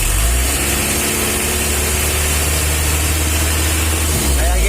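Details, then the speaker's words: Mitsubishi L300 diesel after tune-up to the "Kodok" setting; deep, steady idle with soft, even clatter and no harsh knock; quieter and smoother than the old setting, healthy engine. "sudah versi kodok bosku suara lebih halus Kalau tadi setelan versi lamanya itu dulu ya guys ya aku tuh masih suka gala-galanya"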